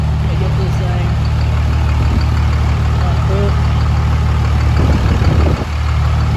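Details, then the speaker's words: 2005 Cummins diesel build at first start with good fuel pressure and a check-engine light, owner suspects the MAP sensor; steady, even low clatter at idle, valve train quiet, no knocks, ticks or lift-pump whine, a normal idle. "there doesn't seem to be any leaks it sounds good uh the valve train sounds pretty good no crazy funny sounds or anything as of right now"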